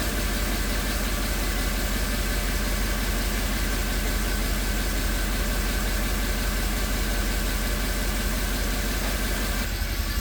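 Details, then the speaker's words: Mercedes E63 AMG V8 started after the valve covers were removed and refitted: deep idle with a light, quick ticking on top. Lifters suspected of ticking because they drained oil while out on the bench; spilled oil is burning off the headers. "You can hear the lifters ticking a little bit."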